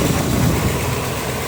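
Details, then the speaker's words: 305 small-block Chevy V8 at idle: a light, quick tick over the rumble, loud on the driver's side and barely heard on the passenger side; owner suspects an exhaust leak or a worn lifter, not confirmed. "You can hear it real good over here on the driver's side. On the passenger side, you can't really hear it."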